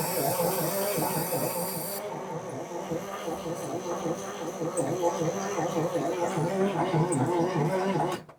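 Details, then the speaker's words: Parts-donor semi truck diesel, not very cold weather: the starter turns the engine over slowly and unevenly with a low clunking and no firing at all. Slow crank, won't start. "Won't even try to fire on either. It's kind of cranking a little slow though. It's not that cold out. I would think it would at least bark a little."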